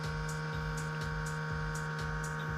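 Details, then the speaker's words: Toshiba Satellite C660 laptop, 2011, Pentium, Windows 7, very dusty: a loud, steady droning hum with a rough edge from the cooling fan rubbing on debris, before opening it to clean. "ज़्यादा साउंड है, और हम कोशिश करेंगे कि साउंड ना हो। इसको खोलने की कोशिश करेंगे, देखते हैं कि क्या उसके अंदर गंदगी है कि नहीं है।"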